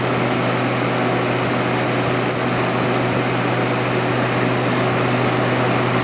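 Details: Haier ESA410J-RGB 10,000 BTU window air conditioner, condenser-side airflow test at the back of the unit, about 1,450 RPM: a steady, even rush of air with a constant low hum and no rattles or scraping. The condenser fan is running smoothly and strongly.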